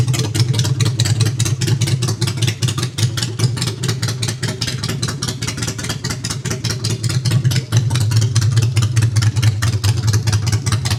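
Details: Honda Shadow V-twin after custom makeover with new handmade exhaust pipes, choke out, in neutral: steady loping idle with even low thumping beats, no misses or knocks; starting and idling healthy.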